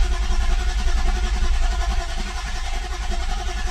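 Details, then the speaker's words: BMW M52 after oil filter housing check valve replacement, fuel pump fuse pulled to crank without starting and build oil pressure: low, even cranking about two to three turns a second, no firing; oil light slow to go off; normal no-start cranking. "I pulled the fuel pump fuse. I want to crank it a couple of times without it starting so it can build oil pressure."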